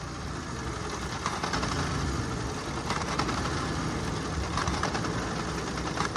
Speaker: Customer states, "When the engine gets warm, it starts to do this.